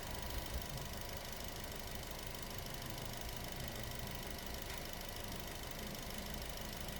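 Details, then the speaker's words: Nissan Almera that kept stalling, idling after finding carboned spark plugs, cleaning the throttle body and an ECU reset/throttle relearn via scanner: steady even low rumble, no stumbling or stalling. "So umaandar na po yung unit at hindi na siya namamatay."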